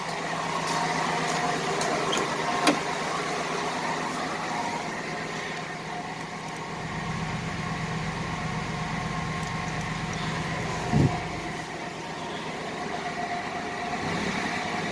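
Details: 1988 Buick Reatta 3800 V6, first run after sitting about 10 years: quiet idle with uneven, lopsided beat and occasional stumbles; cylinder misfire, owner suspects an injector given raw fuel seen.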